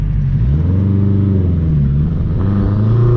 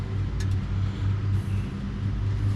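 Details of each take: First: Honda CR-V with home-built turbo kit and Haltech ECU, after fixing a misfire issue: strong clean pull in first, pitch climbing and dropping through hard revs, no misses or rattles; running healthy. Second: Turbocharged Honda CR-V at idle: lumpy, uneven loping pulse, running on only two cylinders; pulling coils made no change; cause found to be a faulty injector wire, not a misfire. Dead cylinders from injector wiring.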